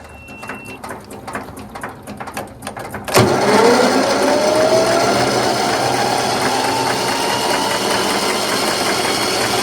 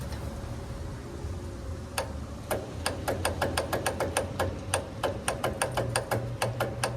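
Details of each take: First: Troy-Bilt Gardenway 47278 vac chipper with Briggs flathead horizontal engine and 12-volt electric start: faint ticking, then a loud whirr rising in pitch as the starter cranks normally, showing the solenoid and starter motor work. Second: Troy-Bilt Gardenway 47278 vac chipper, Briggs flathead horizontal engine with 12-volt electric start: rapid solenoid clicking, no crank, due to a discharged battery; solenoid and starter work, needs a fresh battery.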